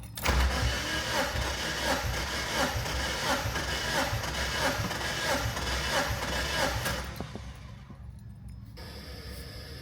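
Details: 2001-2005 Mazda Miata VVT gasoline engine compression test, cylinder 2 cranking with plugs out: even, steady pulses about 1.5 per second for several seconds, then stop; reads about 185-190 psi, normal cranking.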